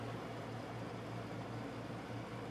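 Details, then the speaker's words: 240-volt heating/air-conditioning unit in an enclosed porch, running in air conditioner mode: a steady low compressor hum under an even fan whoosh, with no rattles or cycling. Normal running. "This is a 240 volt unit. Yeah, that thing works great."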